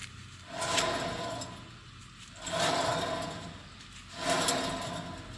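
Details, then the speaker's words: 2011 Toyota Tacoma 4WD, 6-speed manual, 1GR-FE, 160,000 miles, with a front humming noise: front hub spun three times by hand with the caliper and pads off gives a rough gritty grind swelling and fading; front wheel bearing worn. "That's a crazy grinding, isn't it? I bet even most skeptical people are now convinced that that wheel bearing gotta go."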